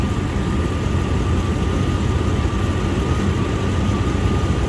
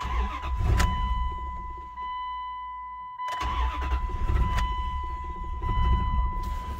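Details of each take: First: 1999 Dodge Durango SLT after correcting swapped plug wires and refueling, warming up with good oil pressure and charging; smooth, even low idle rumble with no ticking or knocking: normal idle. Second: 1999 Dodge Durango SLT V8, sat 14 years, after exhaust manifold reinstall: after cranking it stumbles with a lumpy, uneven beat over a door chime, missing because two rear spark plug wires were swapped.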